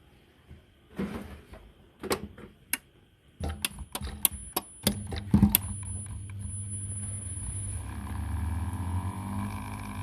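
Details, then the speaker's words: Siemens dishwasher showing error code E25, drain pump tested with a cycle started: a few handling clicks, then a steady, even low hum as the pump spins freely with no grinding; pump was only jammed and works normally. "là on voit que la pompe tourne donc elle était juste bloquée voilà donc la pompe est bonne n'est pas cassé c'est une très bonne nouvelle"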